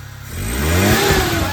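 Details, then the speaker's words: Maruti Omni that knocked after starting, with the engine opened and repaired and the fuel system primed: it starts and revs cleanly, pitch climbing with no tapping or knock. Water comes from the silencer. "हो गया कोई sound नहीं आ रहा है कोई sound नहीं आ रहा कटक टक कटक टक करता था सब बंद हो गया"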